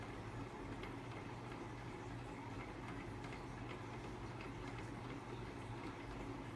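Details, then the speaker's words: Hampton Bay St. Vincent II 52-inch red-and-brass ceiling fan on high after about 15 minutes of running, with WD-40 sprayed on the bearings. A steady motor hum carries a light, irregular rattle from dry, worn motor bearings that need replacing. "I did put some WD40 um just so the fan the bearings loosen up a bit since they don't really sound too good"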